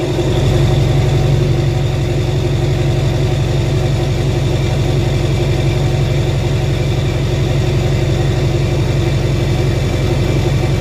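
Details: 2007 Duramax LBZ diesel, SDP deleted, MBRP 4-inch exhaust, after replacing up pipe gaskets that caused screeching boost/exhaust leak: even, steady diesel clatter at idle with no puffing or hissing; sounds sealed.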